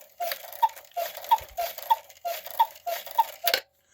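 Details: 1950s Gebr Kuner cuckoo clock with spinning couple figures, modified Regula 1 movement, after overhaul and oiling front figure gears: even two-note cuckoo calls about every 0.6 seconds, crisp, no dragging; strike train running freely.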